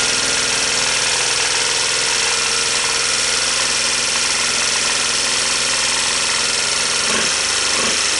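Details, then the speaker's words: 1986 Honda TRX250 with weak compression, new starter, portable CDI and carb hack, started on starting fluid, smoking badly: harsh, busy clatter over the idle, more than valve tick; engine judged not savable, gearshift not engaging, cause unclear. "it's got a couple of bad sounds to it more than the valves right somebody's already been in there fooling around with it"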